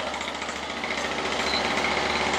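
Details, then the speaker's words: Toro two-stroke weed eater that sat unused, primed and on choke; fast buzzy popping holds steady without stumbling, started right up and runs fine. "now that's funny she started right up and she worked perfect"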